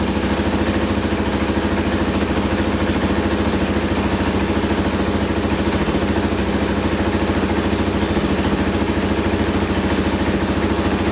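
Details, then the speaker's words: 2000 Can-Am DS650 quad, single-cylinder 650cc, rebuilt top end, after lowering idle on carburetor: steady even thump about three and a half pulses a second, no misses or knocks; normal idle. "i lowered it even more so it should idle perfectly now let's add a little gas in there and see what happens there we go got her dialed in now"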